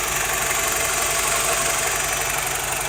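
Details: BMW E87 120i petrol engine idling with busy dry metallic diesel-like rattle about three per second; source not found.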